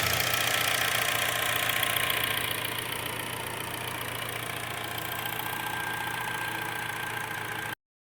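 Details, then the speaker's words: 2009 Hyundai Sonata that previously had a rough, hunting idle and vibration at stops, now after repairs: steady, even idle with a regular pulse and no misses or hunting. Normal idle. "you can hear how this thing is running it runs like a uh I would say an 18year old really smooth"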